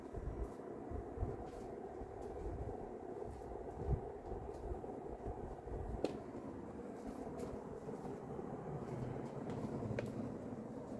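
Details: Vintage circa-1980 Emerson Heat-Fan HF-136 36-inch industrial ceiling fan, K-63 stack motor, three fiberglass blades, bearings slight kickback but decent, on high: low even rumble, steady whoosh, faint occasional ticks; running smoothly at high speed.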